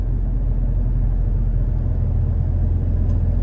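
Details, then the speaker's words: Toyota Tacoma at 30 mph with OEM roof rack deployed, rear window then driver's window open, heard in cab: steady low road rumble, no whistle or buffeting from the rack; normal, no wind noise. "don't really hear anything and then one more shot with the driver's side window down not really getting anything at all"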